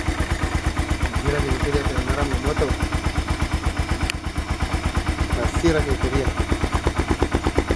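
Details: AKT TTR 200 motorcycle engine that arrived with considerable engine noise, after timing adjustment and cleaning; crisp, even single-cylinder beat at steady pace, no knocks or rattles; running clean and healthy.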